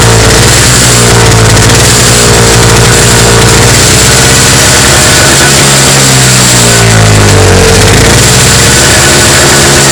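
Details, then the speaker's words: Toro CCR 2450 two-stroke snowblower after repair, on fresh 40:1 mix with stabilizer (spec 50:1); loud steady run, pitch dips and recovers smoothly without misfire or stumble: fixed, normal running. "that's fixed it's done"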